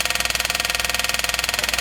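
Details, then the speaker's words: 1979 Chevy G20 van after sitting 35 years, electric fuel pump hooked up with tank switch grounded: fast, even buzzing whirr about fifteen pulses a second, clicking but pumping no fuel; owner suspects a clogged fuel line or tank switch valve. "I don't get nothing here. Really pumping nothing. So there's a clogged fuel line, or that tank switch is clogged up and not letting the gas come through it. But you do hear it click. That's the fuel pump."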